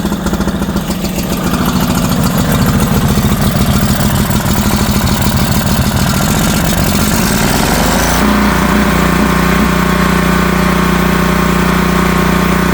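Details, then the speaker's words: Northstar 10000 PPG 10 kW generator running on old bad gas with a dirty carburetor, choke partially in: uneven, hunting chug that steadies somewhat; owner hopes it will burn through the carb dirt. "It's running so I'm hoping it'll just burn through the dirtiness in the carb by itself."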